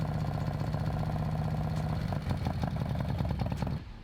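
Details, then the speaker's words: Harley M8 with freshly installed S&S 124 kit (cam, oil pump, adjustable pushrods, cylinders, pistons), first start: busy rapid lifter tick and rocker chatter over lumpy V-twin idle, lifters still pumping up, should quiet after heat cycles. "so basically it'll be noisy the lifters are gonna build pressure up so i'm gonna let it sit for now heat cycle and then it eventually gets quieter and quieter and quieter because the lifters build pressure then you don't get that the rocker chatter"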